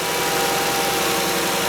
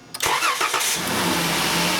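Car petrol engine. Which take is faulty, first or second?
second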